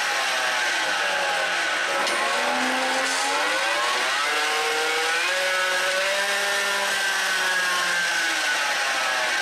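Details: 2017 Ford F-150, 5.0 V8, 6-speed automatic, 8.8 rear differential: loud whining howl from the rear axle, pitch rising and falling with road speed, first noticed while towing a camper; failed pinion bearing race.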